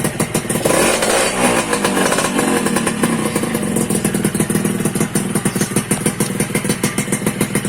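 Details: Suzuki Satria 2-stroke (Lumba) with its no-spark fault traced to a failed on/off button in the aftermarket right handlebar switch, which was bypassed: a crisp, steady two-stroke crackle with no misfires or cutting out; normal running.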